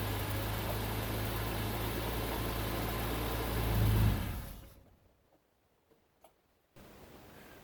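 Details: Bitter SC (SC 377), Bosch L-Jetronic, with the coolant temperature sensor plug pulled (infinite resistance) as a test. Uneven, lumpy idle with a swelling, wavering beat, then the engine dies: rough running.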